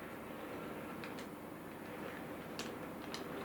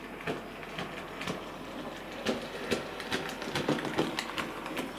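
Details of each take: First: Sir Walter Scott model locomotive after replacing the split axle drive gear: very slow, quiet, even running with only faint light ticks and no clunk; drive sounds healthy. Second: Sir Walter Scott model locomotive, tender removed to rule it out, running forward and back: uneven light clicks and clunks about two a second, caused by a split axle drive gear.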